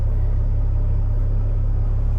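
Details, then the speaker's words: Warm idle of a 1978 Scirocco with a swapped VR6 24v: deep, steady low rumble with no misses. It runs strong and clean, with high alternator voltage and fuel pressure at about 20–23 warm (60 when cold). Normal warm idle. "Fuel pressure is wonderful. You know, it was way up at 60 when it was cold. Now it's dropped down to 20 when it's warmed up idling."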